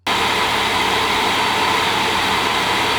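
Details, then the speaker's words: AMD Radeon RX 580 reference blower-style card under full load in Heaven benchmark, back around 92°C: steady, very loud rushing whoosh of the fan spinning flat out, normal; no coil whine noticed, though hard to hear over the fan. "While testing I also didn’t notice any coil whine with my particular unit, although I admit it would be a challenge to hear through that fan noise."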